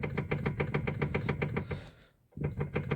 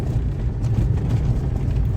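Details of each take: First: Lada Kalina steering column: quick hollow knocks, about three to four a second, as the wheel is rocked, worse over bumps or when stationary; tie-rod ends and ball joints fine, electric power steering unit suspected, not confirmed. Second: Lada Kalina on test drive over stones after steering column repair (washer in electric power steering fixed): only low road rumble, no knocks or crunches from the steering; normal.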